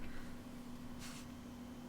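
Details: Replacement 40mm, 1cm-thick fan fitted to a Mega ST2, test-powered by poking in the red and black wires: quiet steady low hum, no ticking or rubbing, spinning smoothly; very slight breeze, draws 195 mA.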